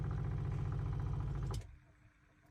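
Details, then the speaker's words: 2002 IH motorhome water system after running hot and cold taps: low pulsing pump drone for about a second and a half, then a clean stop as the pump cuts out at full system pressure. "there you go so that pump turning itself off like that is telling me improving to me that the system is now up to complete pressure"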